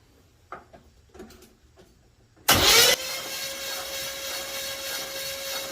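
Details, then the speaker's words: Pontiac Trans Am 403 6.6L V8 cranked with plugs and fuel line removed: loud whoosh as cranking starts, then fast even spin with no compression, water blown out of a cylinder; oil to be changed. "definitely something in that cylinder a lot of water"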